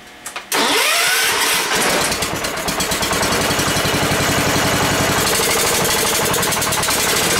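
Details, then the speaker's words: Ford garden tractor, sat long as a no-run, run with throttle raised after it seemed not to draw fuel through the main jet: cranks, catches and runs with an uneven, stumbling beat; running rough, owner suspects fuel starvation. "try firing it again think it might be starving for fuel"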